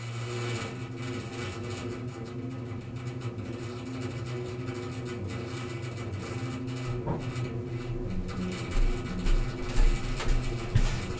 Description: Does this every evening at 9PM sharp.